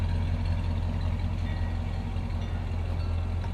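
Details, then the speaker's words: 1966 Ford Galaxie 500 convertible V8, first start in 44 years on a cold day: steady, even low burble at idle with no knocks or misses. Runs well, with slight roughness around 1200–1500 rpm; ignition points arcing a little. "first start in 44 years and it runs really good it has a little bit of our roughness just around 12 1500"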